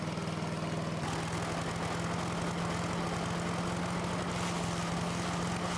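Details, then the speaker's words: Sears Craftsman 9HP chipper/shredder, over 30 years old and unused 5–6 years, just after its leaking carburetor was fixed and bench-tested. Started on choke at half throttle; a steady, even single-cylinder beat with no stumbling or surging. Carb no longer leaks; may need fine-tuning. "Well, I'd say that was a success. We got the carb issue fixed. It's not leaking anymore, and it runs great."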